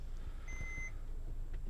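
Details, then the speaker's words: New 6x6 Oberaigner/Krug overland truck whose transmission arrived damaged: a single clear high half-second beep over a quiet idle as the front axle diff lock warning refuses to disengage; the truck won't move while trying to switch it off. "it won't switch on he won't switch off that beeping you can hear oh it's on now it's on because if I switch it off or try to this vehicle will not move"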